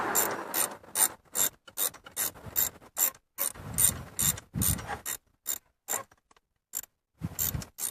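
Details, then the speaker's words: 1998 Chevrolet S10 4.3 V6 with 310,000+ miles, old idler pulley spun by hand off the engine: gritty rattling rumble fading as it slows, with silent gaps between spins; worn bearing, new pulley silent. "right that's silent compared to the old one the old one just sounds like it's I don't know if you can you can hear that"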